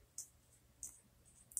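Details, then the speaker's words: Nintendo Wii optical drive with a foreign Blu-ray movie disc inserted: sharp dry clicks about every half second, then a quick double, as the laser repeatedly fails to read the disc before an error appears. "it's making weird noise noises an error has occurred"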